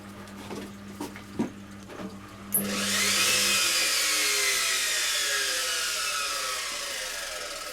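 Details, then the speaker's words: Washing machine motor on spin: the drum spins up with a rising whine under a coarse, gritty roar that stays harsh at speed, sounding even rougher than before; owner plans to fit a spare motor and suspects the board or triac, possibly the tacho. "That sounds even more ropey than it was before."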